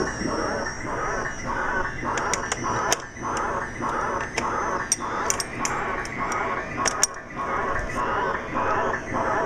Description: This is a video showing a problem I have with one of my Sega Enduro machines. The sound has gone completely out of control. Could it be the sound board?